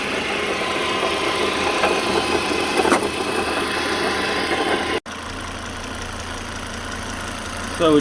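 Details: Car engine at idle with an irregular knock-like rattle that sounds like the bottom end but comes from a previously rebuilt alternator about to fail completely; after replacing the alternator the engine sounded right again.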